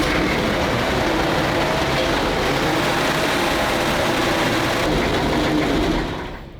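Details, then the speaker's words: Zündapp KS 750 two-wheel-drive motorcycle (750cc petrol), started on choke: steady churning crank at about four turns a second for six seconds with no firing; slow, labouring starter suggests a tired battery, which may be put on charge. Cause suspected, not confirmed. ">> That was a bit tense. It was we might put it on charge to make sure it's as strong as possible when it comes to start."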